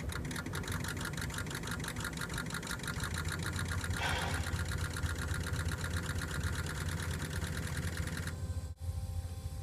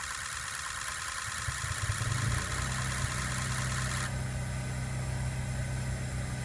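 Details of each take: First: 2003 Ford 6.0 Powerstroke diesel that starts hard, key on engine off before Rev-X treatment: spotty, uneven injector pre-cycle chatter instead of a crisp even buzz, indicating sticking injectors (stiction). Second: 2003 Ford 6.0 Powerstroke about a month after Rev-X treatment, cold starts improved: crisp regular injector pre-clatter about four ticks a second with no misses; normal, stiction relieved.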